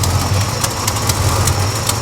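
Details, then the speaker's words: 1969 Chevrolet Chevelle SS V8 idling: deep steady rumble with faint, sharp puffing ticks from a slight exhaust leak, heard from up front somewhere. "All right, I hear a tad bit of an exhaust leak. Nothing too crazy."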